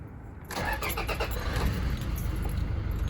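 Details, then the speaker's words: 2017 Toyota Hilux 2.4 D-4D diesel, about 23,000 on the clock, no repairs: brief crank catches within half a second, then a steady, even, refined diesel idle with no knocks or misses; healthy start. "So yeah, it is really not that rough, and in like idle it's smooth, but also on acceleration it doesn't vibrate so much as you would"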